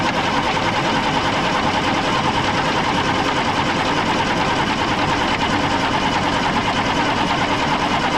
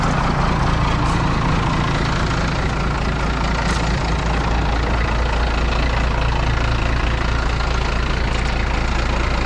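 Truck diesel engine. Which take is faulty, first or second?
first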